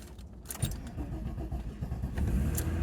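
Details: 1998 Mk3 Jetta VR6 12v with a rough cold start; a brief crank then an uneven, lumpy catch with a small stumble before settling, after new fuel and fuel filter.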